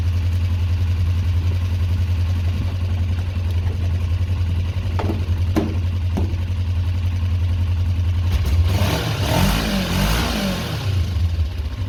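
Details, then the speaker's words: 2004 Kawasaki ER-5 twin, custom painted, after exhaust fitted and carbs worked on and bled: smooth, steady low idle with no stumbles, a quick clean blip then settles back; looks and sounds great, normal idle. "looks and sounds great to me so far guys"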